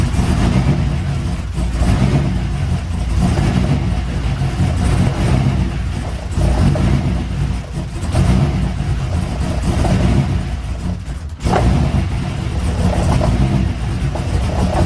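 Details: Chevrolet C6 Corvette after an LS3 engine swap, just started for the first time after the swap: a deep, steady V8 rumble that swells and eases with a few throttle blips, no knocks or misses; it runs.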